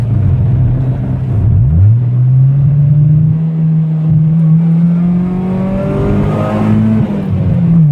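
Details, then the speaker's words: Honda with OBD1 B18B1 engine after cleaning and rebuilding the injectors, adjusting valves, fixing the PCV system and cleaning grounds/replacing a ground wire: smooth, even full-throttle pull with no stumbles or misfires; engine now runs clean on multiple half-hour to hour-long trips. "Alright, you guys, the car is fixed. I've been driving it for the past few days. I've taken it on multiple half-hour to an hour-long trips. Not a single misfire, and I'm going to go ahead and do a pull to show you."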